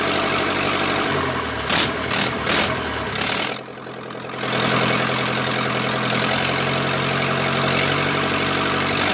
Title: Zetor crystal 8011 part 2 first start after engine rebuild